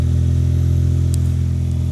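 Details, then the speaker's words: 1991 Daihatsu Mira walkthrough van after replacing oil-soaked parts: cold start, a little smoky, smooth even low drone with steady firing and no misses; now running healthy. "Listen to how healthy that sounds now. It was a little smoky at the startup, but this is how it's supposed to be. It's a cold start."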